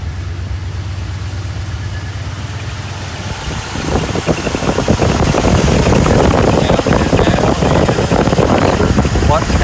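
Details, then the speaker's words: Mercedes 380SL at idle, AC on, freon added the day before: the compressor clutch clicks in and a steady, even, heavier hum joins. Before, the compressor would not engage. Now it engages normally and blows cold; an ETR switch is to be ordered. "she's running just fine sounds good right now AC is off down there is let's see see if we can hear this economy fan blowing now I want to hear a click and the air conditioning compressor is"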